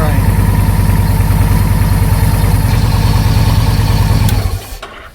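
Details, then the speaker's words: 2009 Victory Vision V-twin motorcycle in neutral, battery possibly low, with an intermittent no-start issue (neutral switch or starter solenoid suspected): steady, even idle about three beats a second, then clean shutoff; starts and runs normally. "well that was a shocker the thing wouldn't crank the other day when I tried it"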